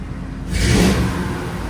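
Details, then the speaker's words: Older Ford F150 that cranked but wouldn't start after sitting over a year, now repaired: catches, revs smoothly, then settles to a steady, even idle with no misses or knocks; no leaks, normal. "This thing hasn't run in a long time. Look at the windshield. It's been a while. And there you go. She's running."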